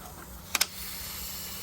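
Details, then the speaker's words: Mercedes CL/W215 trunk lock vacuum actuator: two sharp clicks when locking by button, then a steady high airy hiss as air leaks from the actuator puck whose plastic pieces broke off; needs gluing back together. "And so the air is hissing. It is the common problem with this puck right here."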